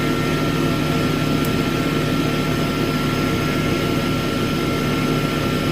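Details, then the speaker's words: Smithy AutoMate CNC LT1440 lathe after spindle replacement, sped up to about 2300 rpm, about 68 dB, quieter than conversation; steady, even hum with fixed tones, no knocking, grinding or shaking; spindle healthy, lathe no longer vibrates. "So we're maybe 68 decibels. You can see that when I talk it jumps up, so that's quieter than normal conversation level."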